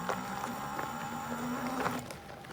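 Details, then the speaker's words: 1750 W AWD 20-inch ebike with the front hub motor under power through thick grass: steady motor whine with grass and tyre rustle, partly front-tyre noise; sounds like drag but there is none; normal hub-motor whine under load. "you know it sounds like it's dragon folks but it it actually isn't"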